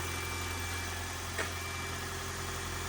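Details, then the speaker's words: Toyota Corolla hybrid with 481,000 miles, started after sitting three weeks at about 19–26°F and still warming up on 0W-16 oil: a smooth, even idle hum with a light mechanical rustle and no knocks or misses; normal for an aged engine. "engine sounds the same now it doesn't sound like a brand new engine but Toyota engines as they uh age they get noisy"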